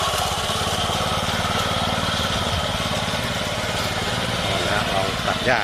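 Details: Used Japanese walk-behind greens mower, 24-inch reel, Mitsubishi 4 hp single-cylinder engine: even rapid beat at constant pitch with cutting reel turning; sounds healthy.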